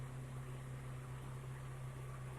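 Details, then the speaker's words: Car AC, gauge about 30 psi (20-40 psi when working): steady low hum with soft airy rush, no clicks or rattles; compressor and blower running normally. "máy nén đang hoạt động, hiển thị từ 20 đến 40 PSI khi máy nén hoạt động"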